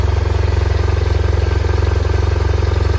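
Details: BMW R1100 RT boxer after no-crank repair (alternator slip-ring brushes, starter and battery replaced), started after a 5 km test ride: even, steady low thumping at about 220 beats a minute, no misses or clatter; healthy idle.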